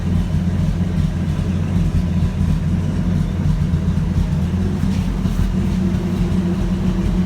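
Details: 1984 Toyota FJ60 2F, de-smogged, back on OEM exhaust manifold after a poorly fitting aftermarket header: steady, even low rumble with no misses, knocks or hunting; fired first time, runs smooth.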